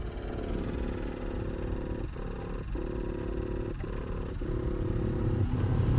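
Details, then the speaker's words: 2008 Audi TT Mk2 heater blower motor behind glove box, before replacement: steady whirring drone with brief dips about every second, rough and rattly, weaker airflow than before; blower motor bearings worn. "So, the reason I'm I'm doing this is cuz mine's actually failed and the bearings have gone in it. So, it's making a right rocket and it's not as powerful as it used to be."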